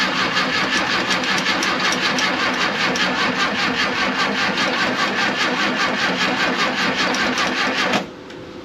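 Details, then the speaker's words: 1968 VW camper bus, sat over 10 years, after rotor refitted: starter cranks evenly eight seconds with no firing; weak spark at the points, which were only sanded, moisture from power washing suspected. "still not starting why why why why why why why so i don't have a very strong spark at the point so maybe that's the issue"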